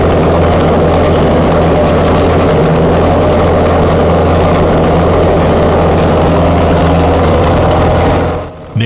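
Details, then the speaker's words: Chrysler 440 Six Pack V8 with rebuilt triple two-barrel carbs, cold: loud, lumpy fast idle pulsing about four beats a second; water-bottle check shows two cold pipes per side, four cylinders dead, running rich; carb as cause unconfirmed. "uses a water bottle to check that the engine is firing on all eight cylinders he finds two cold pipes on the passenger side and two more on the drivers four cylinders are not working"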